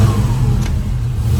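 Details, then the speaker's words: 1971 Chevrolet Nova, rebuilt 454 big-block V8 bored .030 over, Edelbrock intake and headers, AVS 750 carburetor, MSD, new dual exhaust, TH350 automatic: fuel pump heard, then startup into a strong, smooth rumble swelling briefly on a light blip. Normal running. "so let's fire this up real quick you hear the fuel pump let's go sounds good"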